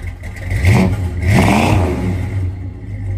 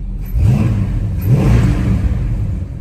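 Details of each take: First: 1968 Dodge Charger original 383 big-block V8 after a cold start: surging and stumbling, revs rising and sagging unevenly; misfire traced to points gapped too wide. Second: 1968 Dodge Charger 383 big-block V8 after changing the points gap and resetting timing (it had retarded 6–7 degrees): two quick blips rise and fall cleanly, settling to a smooth, steady idle with no stumble; running properly.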